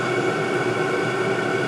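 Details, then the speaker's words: All-in-one 12V/24V/240V diesel heater on 24V at full output, body temperature rising toward an estimated 170°C tick-over point where the fans slow. Constant rushing fan roar with a steady mid hum, no rattles or surging; running evenly. "okay i'm guessing the tick over point was 170ish degrees because it started to slow down now temperature's still going up in the housing but i can hear the fans starting to get slower"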